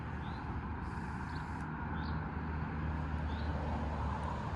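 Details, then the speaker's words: 2010 Ford Fiesta salvage rebuild, first proper drive, unusually quiet; soft low engine hum under light road noise, no knocking, whine or rattle: normal running. "first proper little drive in it it does sound so quiet for him little fiestas"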